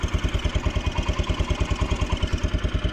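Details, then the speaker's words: Steady single-cylinder putter at about three firing pulses a second, clean with no tick or miss: a Kawasaki Brute Force 300 ATV with a Kymco engine after valve adjustment and valve cover gasket fix, no longer leaking; a faint chirp from below, possibly clutch. "so it's not leaking at all and it seems to be running a lot better than it did it's got some get up and go"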